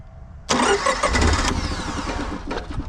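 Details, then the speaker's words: Honda EV6010 generator in a '76 GMC motorhome, its rear fuel tank removed: the starter churns and the engine sputters but never catches. Cranks without starting; a leaking needle and seat is suspected. "I think it needs to kind of throttle itself a little bit. It's trying to start. Come on, buddy."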